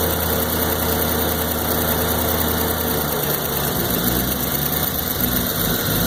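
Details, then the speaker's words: 1993 Corvette LT1 with 42,000 miles at idle: steady rumble that starts to stumble and waver after a few seconds, a rough idle that also stutters when driving around town. "see when it's idling that's when you got your you're driving around town and stutter stutter stutter"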